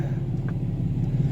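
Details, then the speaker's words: Customer diesel pickup, cold start after grid heater: deep, steady low rumble with an even beat, no knocking or misses; runs good. Normal cold diesel idle. "runs good."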